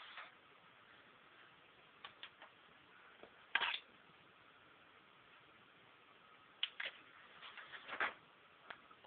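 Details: Xbox 360 making scattered dry clicks every few seconds, an irregular ticking from the disc drive area; console no longer plays games, though discs are not damaged; cause unknown.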